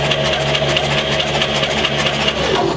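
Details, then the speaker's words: 1940 Chevy Dubl Duti six-cylinder, first crank after about 80 years sitting, in neutral: quick, even chuffing with regular compression pulses and no knocks; turns over freely, no fuel smell yet. "sounds like it's turning over pretty good are there any knocks or anything that yeah sounds like it's scary you can tell it's moving all around pretty good too"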